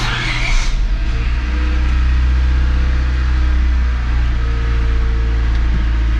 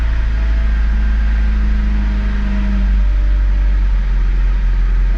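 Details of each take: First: 1996-2000 Honda Civic LX D16Y7 after cleaning the idle air control valve and bleeding coolant, warming up with heat on: engine catches and settles into smooth, steady low idle without stumbling or stalling; fix successful. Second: 1996-2000 Honda Civic LX (D16Y7) warming up: idle runs rough and hunts, the RPM gauge bounces, and the engine stumbles toward stalling. Cleaning the idle air control valve fixed it. Rough hunting idle from a dirty idle air control valve.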